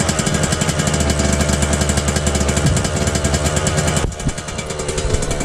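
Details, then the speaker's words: Suzuki RM125 two-stroke after engine rebuild, during break-in, stainless exhaust, choke off; fast raspy high idle easing off slightly, exhaust spitting old premix; high idle after start that eventually drops, cause unknown. "Alright, the choke isn't on, but for some reason every time I start it, it idles really high, then it eventually goes down."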